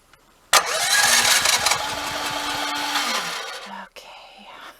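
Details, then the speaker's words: Off-grid generator, oil and gas checked good, battery at 12.66 V (has started before at 12.1 V): starter churns in quick uneven pulses for three seconds and stops without firing. Cranks, no start, cause not yet found. "Okay, oil good. Battery good. Gas good. We'll try it again. It does not want to start."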